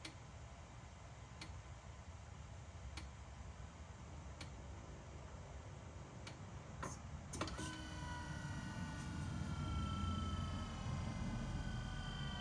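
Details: BMW E60 M5/E63 M6 SMG hydraulic pump during INPA bleeding after topping off with CHF-11S fluid (about 20 minutes): sharp ticks about every 1.5 seconds, then steady rising motor hum; normal operation.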